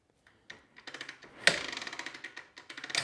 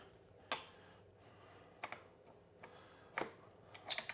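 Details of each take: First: Kawasaki KLX110, kickstarting: dry uneven clicking as the kickstarter swings through, catching only once in a while; one-way sprag clutch inside centrifugal clutch slipping, not engaging. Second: Early-2000s Kawasaki KLX110 after kickstart repair, clutch reassembled: sharp mechanical clicks and clunks, each kick catching cleanly without slipping; kickstart engages normally.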